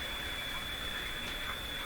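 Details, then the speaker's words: Philco Model 24T five-tube radio during IF alignment: a thin, steady high-pitched warble over soft speaker hiss that changes with the nearby computer screens, not from the set itself. RF interference from computer monitors. "Listen to the radio and watch my computer screen. Any question about where the interference is coming from? Right from my computer screens in here."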